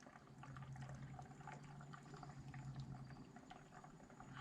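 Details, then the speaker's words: Ram 2500 6.4L engine after upgrades including Hellcat oil pump, vacuum coolant fill before first startup: soft irregular bubbling and gurgling over a low hiss as coolant fills the system and vacuum drops; normal. "I don't know if you can hear that but you can kind of hear it gurgling as it uh fills up the system and you'll see that vacuum you know start to decrease"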